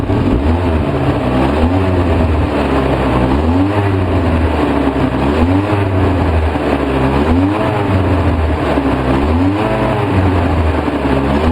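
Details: 2004 Polaris Sportsman 700 twin, choked 10-15%, Seafoam in the fuel: engine surges and sags about once a second, spitting and sputtering instead of holding a steady beat; vacuum leak at the carburetor boot, which is replaced.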